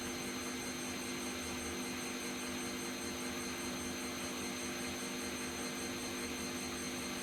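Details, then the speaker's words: Bosch Vario Perfect WAK28260GB/11 washing machine, empty drum on 1400 spin: loud steady high-speed roar with constant whine, no knocking; bearings suspected noisy but not proven, may not have reached 1400. "just doesn't sound that loud to me. Might just be me, but I don't think it's that loud."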